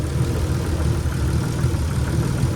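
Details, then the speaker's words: 1991 Nissan 300ZX, long-sitting engine, cold with gauge still reading cold, radiator refitted and filled with water: low rough idle with a dull knock under the rumble that started after initially running quiet; cause unconfirmed, owner hopes it fades when warm. "it ran perfectly fine when I first started it and I rubbed it and it made no noises and now it's making this knocking sound so not too sure what's going on there but"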